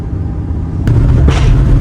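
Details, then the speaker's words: Manual Lamborghini Gallardo, after about 5 minutes of driving: smoking, deep rumble with sharp popping and bangs as if over-fuelling; coil packs suspected, cause not confirmed. "it starts smoking and just popping and banging like mad, like it's over fueling."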